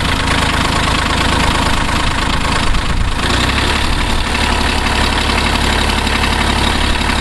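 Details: Kubota B5100D diesel compact tractor, started in cold weather after sitting outside an hour with preheat and a little throttle: steady diesel clatter at a slightly raised idle, running smoothly and evenly with no misfire.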